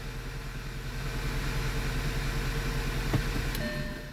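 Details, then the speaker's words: 2009 Audi A4 six-speed manual: low idle with an uneven stumbling beat, about three pulses a second. Cylinder 1 is now misfiring and a faulty spark plug is suspected, unconfirmed. "so I'm suspecting that we have a completely faulty spark plug so I don't know if we're gonna be able to repair this without spark plugs"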